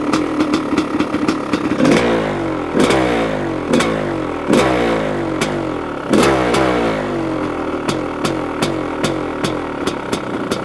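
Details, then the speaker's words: 1985 CR500 two-stroke engine in a 2007 CRF450R chassis with the muffler fitted, choke just turned off, cold windy day: big single crackles and blips, revs hanging with a soft burble; smoky and still running a bit rich. "I just turned off the choke motor sounds different with a muffler on it sounds pretty good huh it it's still a bit Rich"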